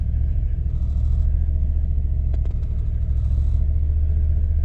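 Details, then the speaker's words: 1998 Jeep Grand Cherokee ZJ 5.9 Limited: on revving, the heavy rumble wavers and sags as power drops off, then comes back. Owner suspects a failing fuel pump and bad gas, being diluted with fresh fuel. Rough running. "Yeah, see, rev, and everything drops off. Power dies, everything drops. Now it comes back."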